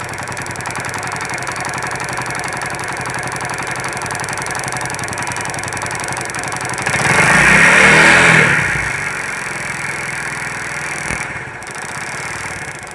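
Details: Kick-started single-cylinder motorcycle that had no spark at the plug coil, fixed by reconnecting wiring and checking the CDI; fires up and settles into a steady, even idle with a brief rev, running cleanly now.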